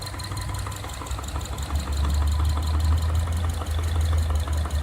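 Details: 2011 Subaru Forester SH, FB25 engine, under 100,000 km, bought new with good maintenance. At idle a hollow, plastic-like knock repeats about four times a second over a low rumble. Rod knock from the cylinder 2 and 4 side.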